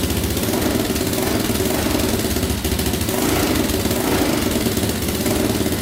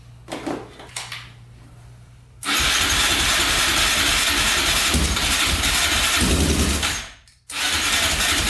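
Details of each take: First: 2004 Yamaha Raptor 660 quad, choke pulled manually, before carb cleaning: steady, even idle with a smooth low beat, no misses or knocks; owner thinks compression sounds fine and suspects no air leaks. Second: 2004 Yamaha Raptor 660 quad, rough and likely long-unserviced, fresh oil, gas poured down the carburetor, choke pulled manually: long loud cranking that never catches; no-start from a clogged carb pilot jet.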